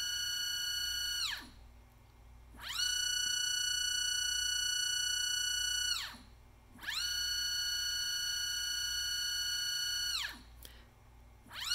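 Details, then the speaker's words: NEMA 24 5 A stepper motor on Stepperonline CL57Y closed-loop driver with Centroid Acorn, bench test at 2500 rpm checking for lost steps; clean high tone sweeps up, holds, winds down each move, no stutter, no steps lost. "you can see as the line keeps repeating you know positive 100 back to zero and we are not losing any steps"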